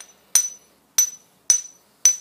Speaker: you hear that ring now if it doesn't do that it's not recommended that you use the wheel